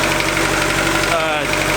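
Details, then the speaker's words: Turbo Honda D16 Del Sol, first start-up after build: quick, light, even ticking over a slightly rough idle that follows engine speed; a top-end tick, suspected to need a valve adjustment, not confirmed. "It sounds like it might need a valve adjustment."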